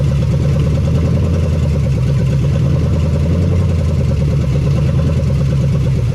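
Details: 1975 Chevy Nova stock small-block V8, sat 35 years, no fan or belt, seized water pump, brief run: loud, deep continuous rumble from open pipes at a steady, slightly fast idle, no ticks; high idle from vacuum leaks.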